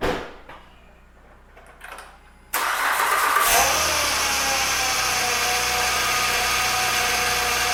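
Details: 2007 Acura TL Type S at cold start: engine settles into idle with a loud high steady whine from the power steering pump, air drawn in past a hardened, shrunken inlet pipe O-ring; fix is replacing the O-ring.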